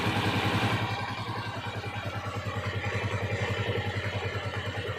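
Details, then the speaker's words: Honda TMX 155 single-cylinder motorcycle after overhaul (stator, timing gear, connecting rod), previously noisy and hard starting, engine still cold: steady even low thump idle with no knocks or rattles. "Napakaganda yung andar niya mga idol."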